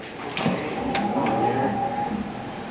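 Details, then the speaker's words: John Bean VPI System 3 wheel balancer spinning the wheel for its measuring run: steady motor whir with a few clicks, normal operation, measuring where weight is needed. "it's spinning the tire, trying to measure where it needs to have weight added."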